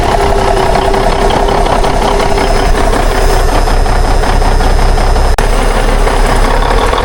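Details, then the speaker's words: 1962 Kenworth with a Cummins Big Cam diesel, abandoned 18 years, first start fed from a jug bypassing the filter: a deep, steady diesel clatter at an even idle with no misses. It has oil pressure and runs healthy. "She fires like a kitten, folks. It's got oil pressure."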